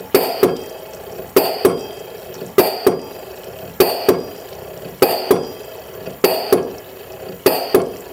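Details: LM10 microfluidizer processor running during a maintenance-reminder demo based on plunger cycle count. A sharp double clack repeats about every 1.2 seconds, very regular, with a quiet hiss between strokes. Normal running.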